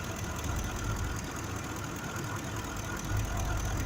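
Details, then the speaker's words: 2005 Ford F-150 5.4 V8 idling, injector waveform missing the curve on the faulty cylinder: low loping idle stumbling every few beats; misfire from mechanically faulty cylinder 2 injector, replaced afterward. "el 12 que tiene la falla no la marca no se ve muy bien sobre cómo que de repente la quiero hacer pero no está haciendo la buena señora le está pegando este es un problema mecánico del inyector"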